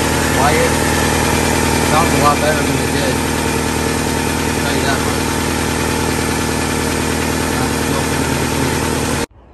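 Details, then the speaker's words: 1997 Toyota Camry four-cylinder idling after an oil change, having sat for years and run on old fuel still in the tank; timing belt done at 227: smooth, even idle, no ticking or knocking; engine sounds healthy. "let's check everything make sure everything's running good he's running good on it sounds good"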